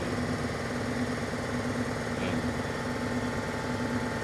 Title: Engine number 4 misfire Mercedes CLA 45 AMG